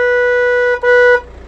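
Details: VW Transporter van with a faulty body control module (BCM): two clean horn blasts with nobody pressing the horn. The fault also randomly triggers the hazards, indicators and wipers and flattens the battery; the fix was replacing the BCM.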